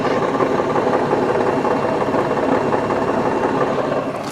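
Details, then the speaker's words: 2005 Ford Freestyle SEL wagon idling in park: uneven rattling chatter, roughly three beats a second, under the idle, from the transmission, not the engine; it goes away in drive, cause unknown (possibly torque converter). "That noise is actually coming not from the engine, but from the transmission. And interestingly enough, when you put this car into drive, that noise goes away."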